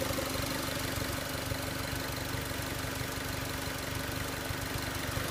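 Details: 2006 Mazda Miata MX-5 NC engine at idle: steady light ticking about four a second over a smooth idle, possibly noisy valvetrain or normal injector tick; owner asks if this is normal.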